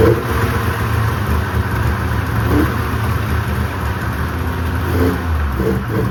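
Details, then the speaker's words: 1995 Polaris RXL 650 triple two-stroke snowmobile, sat outside about 8 years and was previously seized: ragged, surging low burble that only keeps running on starting spray. The fuel system is not delivering fuel, cause still unknown. "So I had it running off of spray, and I was wondering why the fuel system wasn't working."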